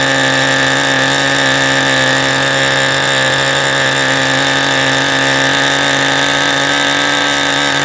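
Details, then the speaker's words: New OS 40 SF ring glow engine, first break-in run, APC 10x6 prop, OS 8 plug, Cool Power 10% fuel, throttle stop preset, low-speed needle unset: steady high buzzing, rich and unsettled; dies on throttle transition. "Obviously the low speed hasn't been set at all, and I think I'm just gonna fire it up one last time here and let it try and run most of this tank out."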